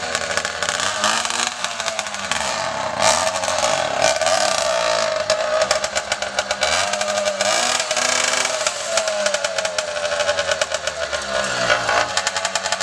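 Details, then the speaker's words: 80cc two-stroke Walmart motorized bicycle engine after rebuild with new exhaust and carburettor flipped to clear it: buzzy crisp revving up and down smoothly, no misses or knocks. Normal running. "oh all right sounds like it's iing good sounds like it's hling good"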